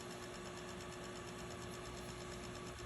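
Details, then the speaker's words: Typewriter with new motor and typing belts running again after a belt change: quiet, steady motor hum with no catches or clatter. It had not turned back on because the lever driving the internal power switch came misaligned and detached; reattaching it fixed this. "so that's all that it was that switch cam missile that lever came misaligned and was not on was not attached to that"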